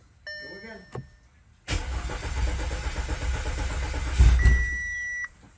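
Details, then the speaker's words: Customer car with lean and P2279 air leak codes, PCV and rear main leaks, previously running rough: steady starter churn of about four beats a second for over three seconds, engine never catches; crank no start; high-pressure fuel pump checked next. "as you can see firsth hand as I'm filming this the car flat out refuses to start now before it would run like absolute garbage but right now it doesn't even want to start"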